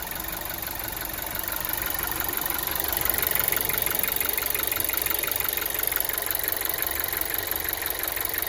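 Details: VW Golf 7 TSI engine: steady idle with a fast, even light ticking knock about three per second, holding constant; engine knock at idle, cause not identified.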